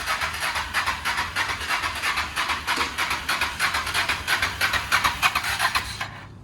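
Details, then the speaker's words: Motorcycle parked since 2009: rhythmic starter cranking at about three pulses a second that never fires, and no pump activity is felt by hand. Crank, no start from fuel starvation; the fuel pump is suspected. "is the gas right i'm going to put my hand on the pump i don't feel the pump working"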